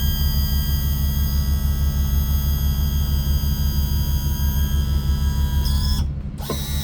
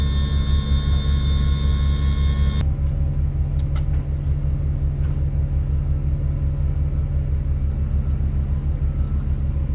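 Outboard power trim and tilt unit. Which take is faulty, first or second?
second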